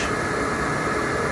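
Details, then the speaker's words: RV furnace bench test after replacing the weak blower motor, which had failed to push the sail switch; powered from a battery via alligator leads. A smooth, steady airy whoosh with no rubbing, scraping or rattles. The new blower spins freely and sounds healthy. "so now that I know the blower motor is fine no noises no rubbing everything's good"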